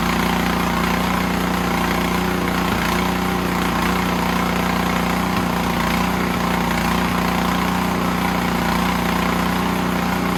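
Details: Snowblower engine whose rebuilt carb leaked, now fitted with an Amazon carb, runs only on choke; on the stand with throttle up and full choke, a slightly uneven beat wavers, hunting at low idle; pilot jet problem suspected.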